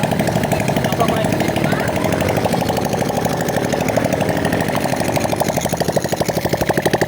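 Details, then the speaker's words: Honda XRM 125 single-cylinder motorcycle after overhaul with new cylinder block, rings and connecting rod: fast idle with an even, steady beat, connecting-rod noise gone; normal running. "so ito na mga ideas okay na itong ganyang makina at wala na yung ingay ng connecting R"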